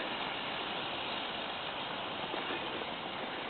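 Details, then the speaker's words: FTX Kanyon RC, stock 60T motor swapped for 35T with smaller pinion, freshly greased diffs and gearbox: soft even hiss at speed, quiet with no heat in motor, unlike noisy low-revs struggle in low range; quiet drivetrain at speed. "it's nice and quiet. I mean, you can't really hear that. It's almost as if it's labouring, but there's no heat in the motor."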